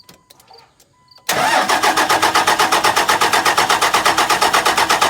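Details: 2002 Ram 2500 24-valve Cummins diesel, 6-speed manual, freshly fitted 125hp injectors: steady rhythmic starter churn, about three compression beats a second, no firing catch; fuel just reached injectors, cranking but not yet starting.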